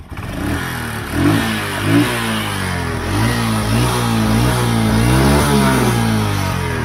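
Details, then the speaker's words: Honda Absolute Revo motorcycle after replacing rubber gasket and spark plug: light dry rattle under the revs, rising with throttle blips, indicating the cam chain starting to stretch. "betapa ini suara seperti ini menandakan kalau rantai kamrat mulai molor rantai kamrat mulai molor itu kayak gini langsam Kayak gini tuh suaranya enggak terlalu kasar"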